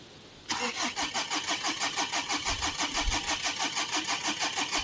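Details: Diesel Renault Espace after running out of fuel, refilled and primed with the hand bulb. The starter churns evenly, about three beats a second, for several seconds, but the engine never fires: a crank with no start. Cause suspected, not confirmed.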